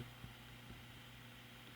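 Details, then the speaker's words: GE 78X233 fan motor after repair (cleaned, re-greased, oiled, rewired with a grounded 3-prong plug): quiet, steady low hum on the slow setting with no rubbing or ticking; runs fine. "well there you have it it's running fine and that's on that's off high two medium"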